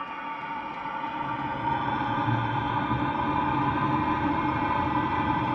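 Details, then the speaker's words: Rebuilt Eberspacher Hydronic D5WSC heater on its test run: it fires right off with a steady roar building over a few seconds, then holds a strong, smooth burn. Some air is in the fuel after the fuel system was cleaned out. "Oh, she took right off. She's got to get fuel in there because I cleaned it all out, remember? She's going like a bat out of hell."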